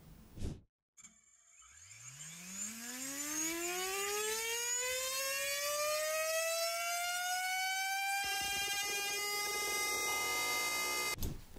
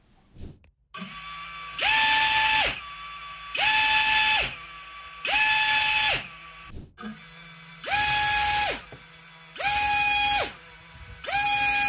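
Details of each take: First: 6-inch drone prop test, EMAX Avan LR 6x3.8x2 prop: a steady tone climbs as the motor spins up, then turns rough and buzzy at high RPM and thrust. The prop is not stiff enough and flutters, cutting efficiency and adding noise. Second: 6-inch quadcopter propellers, HQ 6x4.5x3 versus Azure Power 6145, spinning in six short bursts of steady high buzzing whine. Normal propeller noise: the Azure sounds more whooshing, while the HQ gives a harder, carrying buzzsaw sound.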